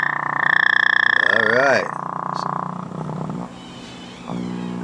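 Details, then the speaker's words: General Electric C-403A radio with a 33 µF filter capacitor removed from circuit: low, steady putt-putt pulsing about three times a second through the speaker; open filter capacitor causes motorboating. "now that's what you call motor boating people motor boating"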